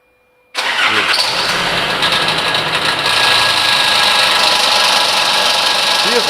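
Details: Nissan Frontier engine starting and settling into a loud steady roar with constant airy rush caused by a seized viscous fan clutch on the radiator fan; fixed by replacing the part.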